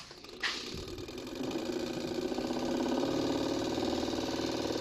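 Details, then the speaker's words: Spark-ignition engine ignition system on a bench rig, distributor driven faster: rapid crisp ticking of the spark jumping the adjustable gap, speeding up with speed; steady normal firing. "So you can hear the spark. Here I can also change the spark gap."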